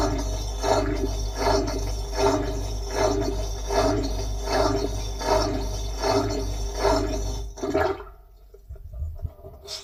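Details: Bosch washing machine on its drain setting, recorded with the phone inside the drum. There are rhythmic whooshing surges about once a second over a steady low hum, then it cuts out: a noisy drain pump, cause unknown.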